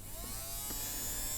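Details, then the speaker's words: Tomy Super Cup electric football game motor, which was stuck and possibly had oxidized contacts, after being nudged free: a steady high buzz with an even whirr and no stalling. It is spinning freely. "like that so as the motor just got probably just got stuck in its one position so I'll leave this running for a bit when I play the uh when I test again and that should free that motor up anyway"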